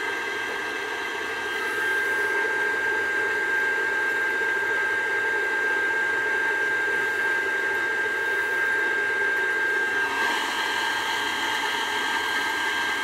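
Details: Old Burnham boiler with conversion burner, with the fried control wired to the high limit only (set 120/180): steady, even burner roar with a constant high whine from the circulator or blower, no surging, running normally.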